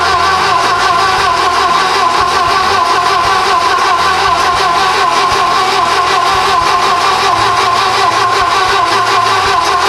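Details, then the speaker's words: Volvo 240 after a turbo manual swap, first start after replacing a fuel rail that leaked at the cold start injector and plugging in the starter: steady, even mid-range drone with no knocks or misses, no apparent leaks, and the swap runs well. "well that was encouraging it runs it didn't blow up so it's not really leaking anything that we can tell"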